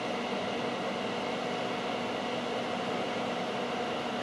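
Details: Data East DECO Cassette System arcade power supply on the bench at power-up: steady, even airy whoosh with no ticking, rubbing or wobble; it took a while to power up, fan runs normally.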